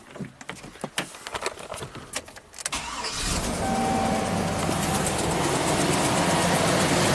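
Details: 2005 GMC Sierra 2500 HD with a rusted-off ground wire, bypassed to a good ground: several seconds of uneven cranking, then it catches and settles into a smooth, steady idle; the bad ground caused the no-start.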